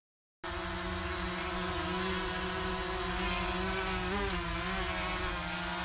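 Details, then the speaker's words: Overmax X-Bee Drone 9.5 Fold quadcopter with brushless motors in flight: a steady, high buzzing with a strong hum and a brief pitch wobble mid-flight; quieter than a DJI Mini 1. "ponownie pokażę też jak ten dron brzmi ponieważ to jest dosyć istotne no jak wspominałem nie zaskoczyło to że jest cichszy od mini 1 DJI"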